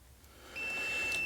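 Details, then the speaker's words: Continuity/resistance check on a 2007 Mercedes E280 that won't crank when hot: meter between relay control pin and engine computer connector pin gives a steady unbroken beep, 0.2 ohm, good connection. "and it is and we've got 0.2 of an ohm 0.1.2 of an ohm so that's perfect next i'm gonna do a wiggle test and if something's wrong we're gonna lose that beep"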